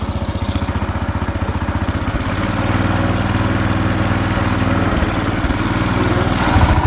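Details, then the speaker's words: 1970s AMF 1414 barn-find garden tractor with the fuel filter removed, choke off: even single-cylinder putter that picks up and holds higher speed smoothly without stumbling. The earlier fuel starvation is blamed on that filter, and it now throttles up fine. "I think that fuel uh fuel filter was our issue. I took that out and now it's running good with the choke off."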